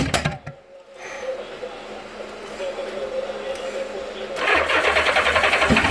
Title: GL 1000 won't start.